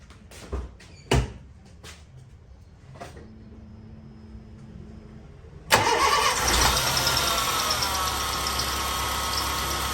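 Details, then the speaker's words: 2005 Honda Fit starts and idles with a steady high squeal from the alternator/accessory belt slipping on the pulley; the owner tries tightening the belt as a fix: loose accessory belt squeal. "Então, eh, às vezes é só o atrito da correia. no rolamento, a correia de serviço, tá?"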